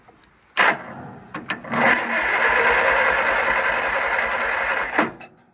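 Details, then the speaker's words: Craftsman GT6000 garden tractor cranking for about three seconds with lumpy, uneven, dragging pulses and compression audible; it has spark, but the starter is getting hung up and needs replacing. "Starter sounds like shit. Probably ain't got no spark."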